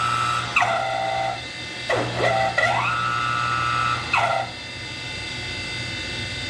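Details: Lathe's 3 hp two-speed two/four-pole motor on a loud phase converter; steady low hum under a whining tone that swoops and steps between pitches as speed is switched, super loud switching; motor warble at low speed.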